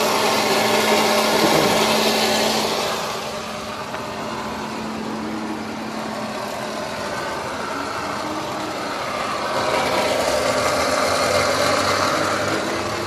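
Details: Mercedes-Benz C-Class that won't start. Steady fan-like whir with a low hum, like the blower motor, while failing to start; cause suspected, not confirmed.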